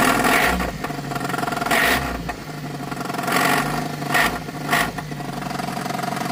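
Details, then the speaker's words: Geo Tracker after an off-road trail run, ticking and banging: repeated revs bring a clattery low-engine rap growing with throttle; owner suspects engine-related, cause not confirmed; engine knock. "That's not good. Still not 100% sure what it is, but I'm pretty sure it's engine related."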